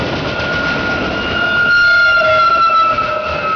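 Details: Norfolk Southern freight, C40-9W and SD60 locomotives hauling 73 cars incl. autoracks, Conrail Detroit Line, Wyandotte MI: rolling rumble with a steady mid-high squeal from the cars near the end; source unclear.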